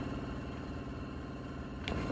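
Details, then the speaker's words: 1990 Suburban with a 383 stroker crate engine that sat 18 years, electric fuel pump jumpered to 12 V: steady whirring hum with gurgling and a click, but no fuel reaches the carburetor. Pump running dry; owner suspects it needs priming. "but you can hear a bit of gurgling or something but there's actually no gas coming out of the line"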